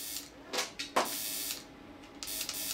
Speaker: that's basically telling us that it's trying to create an arc but it just doesn't have any air to start the plasma up with